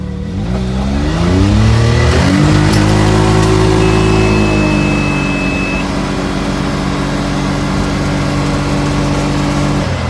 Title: Can am misfire